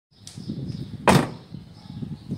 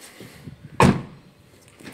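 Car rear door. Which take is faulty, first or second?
first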